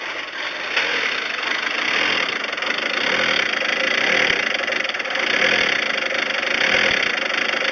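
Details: Volkswagen Transporter T4 with unstable idle, power loss and heavy white smoke; uneven, lumpy idle with a hissy thin tone and a faint irregular tap. Air leak at the crankcase breather (oil recirculation) hose into the intake.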